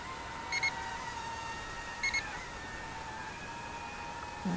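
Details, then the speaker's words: UDI Peregrine U28W drone in flight: two short high double beeps about 1.5 seconds apart over a faint propeller hum. Low-battery warning; the battery was not fully charged. "and if you can hear that beeping our first battery is should be going"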